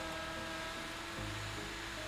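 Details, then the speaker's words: Custom BMW E91 M3 wagon panoramic sunroof: an even motor whir for about two seconds, then a clean stop with no grinding or popping, so it slides smoothly. "it actually is so smooth I'm not hearing any weird grinding or popping sounds that is the biggest issue"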